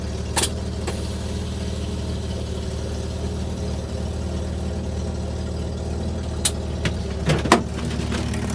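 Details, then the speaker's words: Chevy Corvair air-cooled engine with replacement used carburetors, cold start; steady low even idle holding on its own for several seconds, a few handling knocks; normal cold idle. "all right guys yet again we are outside died in a bommy 18° F this so cold two episodes in a row now we've got two of the air cooled cars in sub 20° fit temperatures idling on their own which is huge for my pile of junk"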